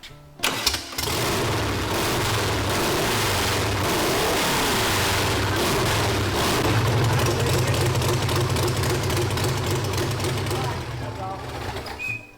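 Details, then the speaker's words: Volkswagen sand rail engine after the firing order was corrected to 1-4-3-2. It catches quickly and settles into a steady, even beat with no misfires, running properly; oil leaks remain to be fixed. "I'm happy with that. We got some oil leaks to deal with and stuff to finish up, but it runs."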